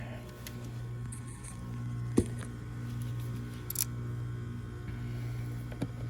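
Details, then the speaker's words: Trane package heat pump, no-heat call at about 30°F, unit apparently in defrost: steady low electrical hum, no airflow; blower motor receiving 240 V but stalled, not spinning; condenser fan also not running; bad capacitor considered but doubted. "That blower's wanting to run. Let's see here. I can't really see here. I want to see if we're even getting power to it."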